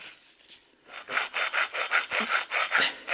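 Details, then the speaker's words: Chevrolet Trailblazer / Saab 97x wheel bearing removed during replacement and turned by hand: dry, gritty rasping in bursts; the bearing is completely dry and damaged, possibly why the ABS stopped working. "thing is completely dry it's damaged and it might be why the ABS it's not working anymore"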